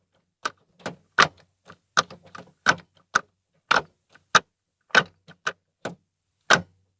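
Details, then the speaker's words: Ford Fiesta Zetec Rocam manual after repair, microphone in the same place, cover off: crisp separate clicks through the gates with no creak or grinding; gear shifting back to normal after repair. "ok pessoal então nitidamente melhorou viu melhorou bastante mesmo barulho voltou ao normal"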